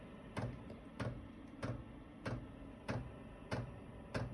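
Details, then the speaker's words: Chinese 12 V diesel air heater in a snowmobile trailer, running off the battery with a full diesel tank: after the fan and glow-plug warm-up, the fuel pump kicks on with soft, even clicks about every 0.65 s; normal. "And what you're gonna hear, the pump will start kicking on. It starts making a little clicking noise."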